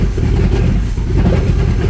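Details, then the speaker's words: Abandoned Porsche Cayenne GTS restarted after a month of repairs: a rough, uneven low rumble that revs up on its own with no throttle and some smoke. The cause is still unknown. "I'm not doing anything. Okay, that was, I don't know, doesn't felt that good. And I didn't do anything. It felt like it was pushing the throttle, but I didn't."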